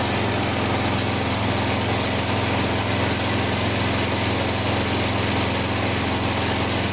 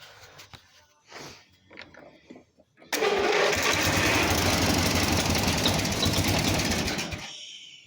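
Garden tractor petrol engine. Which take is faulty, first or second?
first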